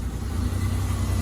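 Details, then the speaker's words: Ford Escape 3.0 V6 idling after re-threading a stripped, blown-out spark plug hole: steady, even low idle, no puffing, ticking or missed beats; no misfire felt by hand and no sound of the plug blowing out. "Sounds good, sounds real good. Put our hand on the engine, and it doesn't feel like it's misfiring. I don't hear the spark plug blowing out of there."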